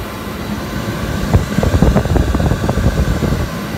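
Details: Hayward pool heater that had been banging and clanging, firing up after DIY repair of a defective bypass assembly: low rumble with a short flurry of soft irregular pops at light-off, then an even roar; normal firing.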